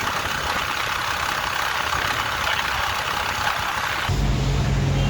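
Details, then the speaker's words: Motorcycle after about 100 km non-stop at high speed on a highway; a rough scraping kar-kar rattle from the engine over road noise; mechanic says the piston has seized in the engine, repair needing about four days. "బండి non stop ఒక 100 kilometres బాగా speed నడిపినందుకు ఇంజన్లకి ఏదో sound వచ్చింది. Sound వచ్చినందుకు ఆపి చూసిన, బాగా కర్కర్ కర్కర్ sound వస్తుంది."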